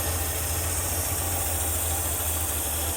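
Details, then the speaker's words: 1974 Ford E100 SuperVan that sat for years. After the points were filed, it fired right off and holds an even, steady idle on the choke with no throttle, no hunting or dying out. A normal idle. "Oh my goodness, and it's idling! The choke set, it's idling."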